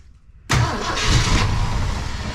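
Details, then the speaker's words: 1966 Ford Fairlane 390 FE V8 4-barrel 4-speed, rebuilt Autolite 4100 carburetor run dry; V8 cranks on and on while the fuel pump refills the carburetor before it catches; long cranking from dry carburetor. "We're looking for fuel coming through here because we ran it dry. We ran the carburetor dry. So if we can get fuel up to that point."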